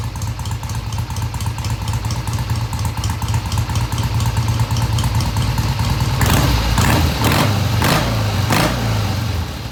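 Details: 1971 Triumph T120 650cc twin after carb adjustment of about an eighth turn: even, steady idle, then several crisp blips dropping back cleanly with no stumble or hesitation, revving through mid-range; smooth idle and revving.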